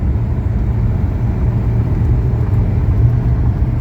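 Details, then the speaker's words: 1980 Mercedes 300SD (W116) turbodiesel on test drive, accelerating: deep even diesel drone under load, perfect shift, no knocks or misses; super healthy acceleration. "here we go perfect shift there we go guys boom super healthy"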